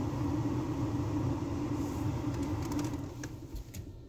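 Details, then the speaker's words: Nissan Sentra at 131,860 km, after fixing the P0302 cylinder 2 misfire by replacing a spark plug missing its electrode tip: steady, even engine note with no stumble or shake, settling smoothly as it winds down. Normal running. "so Ayos na Ong ating centra wala ng mpire wala ng palag"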